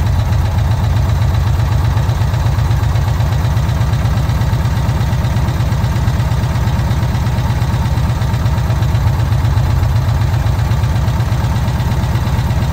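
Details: VW Kombi air-cooled engine after a carburettor jet change, idling during air mixture adjustment: steady, even low idle with a smooth, unchanging beat and no misses or knocks; normal idle.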